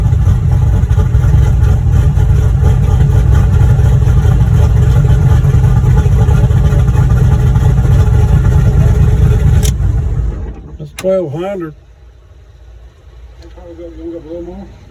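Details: Boosted V8 black truck, freshly rebuilt after a suspected head gasket failure at 11 psi boost. Deep, steady rumble with an even, slightly lumpy beat for about ten seconds before shutdown; healthy at idle.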